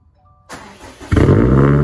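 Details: Subaru STI complete cold start after sitting unstarted for two months: quiet, brief crank, then the engine catches and settles into a strong steady fast idle; normal cold start.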